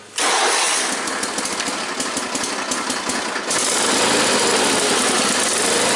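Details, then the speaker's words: Cold start, still being tuned: runs ragged and uneven for a few seconds, then steadier. The engine won't idle properly until completely warmed up; it runs pretty good once warm. "She's still kind of picky. She doesn't like to idle when she's like cold. She won't idle until she's like completely warmed up."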